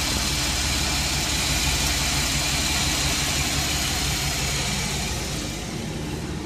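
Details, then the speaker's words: Chevrolet Express van 4.3L V6 after fixing a P0300 and cylinder 5/6 misfire by replacing all the bad lifters; no check engine light. A smooth, even idle with slight hiss; normal idle. "how about Lucas oil stabilizer finally works like you used thank God and there's no check engine"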